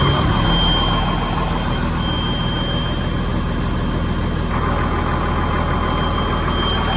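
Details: Cummins 8.3 CAPS no-start, after replacing ECM transient surge suppressor diode (codes: injectors disabled, ECM not receiving power): steady even diesel idle, smooth low rumble, no misses or knocks; starting and running cleanly.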